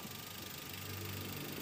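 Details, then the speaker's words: 2004 Toyota Avanza 1.3 G manual, recorded close up in the engine bay: steady, smooth idle with a low hum and no knocks or misses. The engine sounds normal and healthy. "Masih berjalan dengan normal. Dan untuk mesin juga masih seger nih ya."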